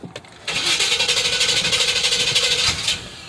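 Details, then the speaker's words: Chevy truck, first start after relocating the stock exhaust to true dual: the starter cranks in pulses, about three a second for two seconds, without catching; it started on the second try, and the owner thinks it needed to relearn. "what the heck oh my what the heck is wrong with it now"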